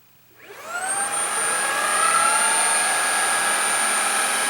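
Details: Shark ICZ362H Vertex vacuum after repairing a broken wire that stopped the brush roll spinning; motor spools up within a second to a steady high whine with an even hum beneath, no rattles or surging: normal running.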